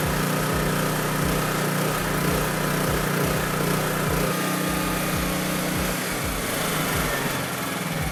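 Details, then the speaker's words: Honda EB3500 generator running steadily on its governor with no hunting or surging: about 60–62 Hz at roughly 3650 rpm unloaded, dropping to about 60 Hz under load. Normal governed running. "as predicted when we first turned it on it was at like 60 62 hertz something like that and the engine rpm was a little bit above 3600 i think it was like 36 60 or 36.50 something like that when we put a load on it it dropped down to about 60"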